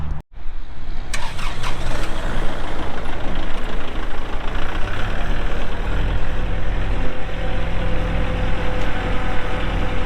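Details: 2023 Kubota L4701 tractor, 47 HP gear-drive diesel with only 98 hours. It catches almost immediately and settles into a steady, even idle with no knocks or misses; normal start and idle.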